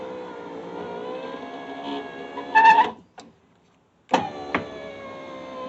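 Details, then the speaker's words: Subaru driver's power window in a previously crash-damaged door, before repair: steady motor whine stopping and starting, window rising slowly. "the window just goes up slow too for whatever reason"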